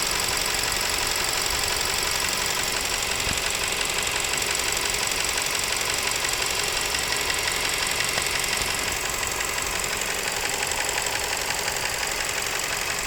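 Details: Nissan Serena C27 with MR20DD engine running: fast, even ticking knock about three per second above smooth idle; abnormal engine knock, cause not yet identified.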